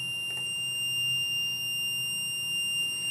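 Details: MPJA 35716 MP battery low-voltage alarm module while its set point is being turned down clockwise. A steady, unbroken high-pitched buzzer sounds because the voltage is below the set point.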